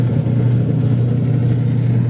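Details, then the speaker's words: Single-tub washing machine after gearbox replacement, pulsator agitating. Steady, even motor hum with no grinding or rattle, where before it was noisy and rough even when empty; now runs smoothly. "bale nawala na guys yung ano yung ingay kanina kasi ang ingay kanina kahit wala pa siyang laman maingay"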